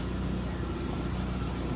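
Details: Lada Priora engine after piston set replacement to cure heavy knocking, coolant around 55°C: smooth even low idle, steady deep hum, no knocking or tapping; healthy compared with before.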